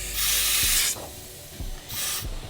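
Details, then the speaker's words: Acura RSX with a stock K20 turbo kit, fresh build, boost leak test done before first start. Two sharp bursts of escaping-air hiss with faint clicks under pressure. The leak is at the throttle body area, a couple of spots. "so let's check it out let's check it out sounds like we got a little leak yeah it sounds like the throttle body area"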